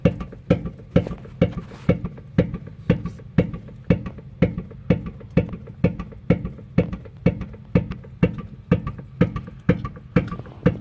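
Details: Infiniti G37X rear driver-side suspension bounced by pressing down on the trunk, with sharp regular knocks about twice a second; sway bar end links were replaced and bushings regreased, but the cause was a loose lower shock absorber bolt.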